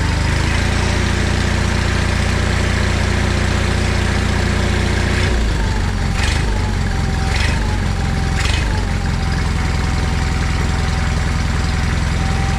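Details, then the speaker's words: John Deere 317 lawn tractor after engine reinstall, choke off, air cleaner not yet fitted: engine idles at a steady even beat, brief speed change midway, then settles smoothly; runs healthy. "so well that's great news it runs and everything"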